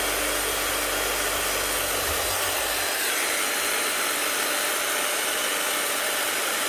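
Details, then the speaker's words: Bosch GSH11E hammer test-run with brushes worn down to the leads: steady high-pitched whir with a crackly edge; worn brushes arcing on a worn armature, sparks, slight smoke, getting hot. "Right, she's sparking and she's worn. As you can see, sparks go away when you press down, but also a wee bit of smoke coming out of there."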